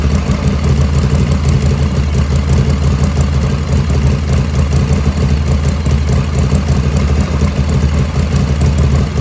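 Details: 1985 Harley FXRS Evo just restarted after reassembly, idle jet set close: deep, loping V-twin idle holding steady without stumbles or hunting, mixture sounds about right; normal idle.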